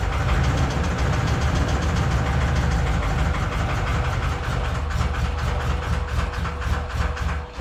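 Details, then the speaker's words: 1981 Chevy Corvette V8 restarted after engine reinstall and upgrades, timing possibly corrected from at least a tooth off after a distributor mishap: sharp, rough ticking of 3–4 per second over an uneven idle, from a loose rocker arm and bent pushrod. "A little more. Those lifters sound rough."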